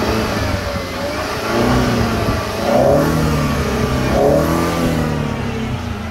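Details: Mercedes C200 with stored misfire code for cylinder 4, cylinder balance test by disconnecting injectors: engine revs up in two smooth sweeps with slight stumble at start of each rev; small hesitation, cause not pinned down.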